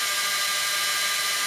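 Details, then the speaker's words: Supermicro SuperChassis 512F-350B 1U rackmount server: BIOS-controlled fans, normally quiet with a cool CPU, spin up quickly to a loud steady high-pitched rush at full speed as the CPU warms; a warning light then signals a problem. "i'll just give you a quick idea what would happen if the cpu got warmer okay they didn't like that so they spin up very quickly"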